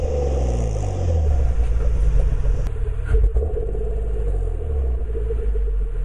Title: 2004 g35 reving haltech rc 750cc greddy tt hks exhaust- misfire issue